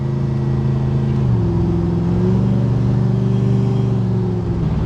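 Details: Oldsmobile Cutlass small-block Chevy V8, about 10:1 compression, hydraulic Summit cam, on test drive: revs climb then falter and sag instead of pulling smoothly; engine stumble under acceleration, later traced to a broken valve spring.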